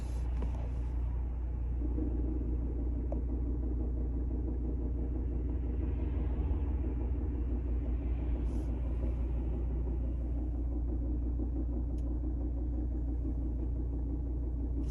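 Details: Volvo V60 Ocean Race Edition manual, idling with clutch pressed about half an inch: steady rumble with faint uneven rattling knock, gone with clutch fully down; failing dual mass flywheel suspected.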